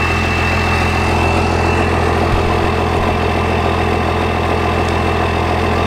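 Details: 24-valve Cummins diesel running on a single battery after the grounds were replaced, heard at steady idle: an even, deep low rumble with light clatter and no misses or stumbles. The engine is idling healthy.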